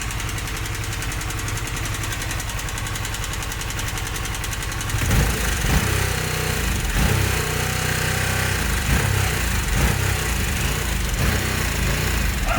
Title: Harley Sportster S Problem (5mo old), Ticking/Knocking Sound when in Idle for awhile. :-(